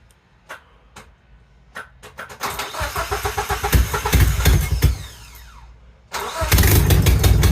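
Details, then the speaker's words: 1987 Nissan 200SX S12 Silvia drift car started after sitting a while: several slow cranking bursts, then catches and settles into a deep, steady, slightly lumpy idle; cold start after sitting. "All right. Let's make sure everything's good. I mean, it hasn't started in a while, so it's got everything here."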